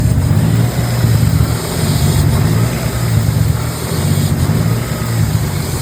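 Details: BMW M52 turbo engine on Link G4X ECU after firmware update: low idle pulsing and wavering unevenly every second, rough idle, cause suspected not confirmed.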